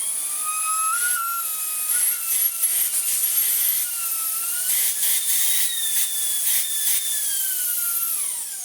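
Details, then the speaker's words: Shark Wandvac 2-in-1 1.0 handheld vacuum with a just-unclogged crevice tool fitted: a high, piercing whistle as the motor spins up, drifting in pitch with the airflow and dropping away at switch-off; cause not confirmed. "We'll get on to the horrible noise this thing makes in a second."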